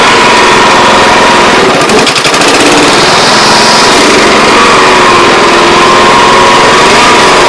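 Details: Older Honda Harmony 215 SX mower, having sat outdoors for years: loud steady blade-and-engine roar holding even speed while cutting, only a brief dip under load; running properly.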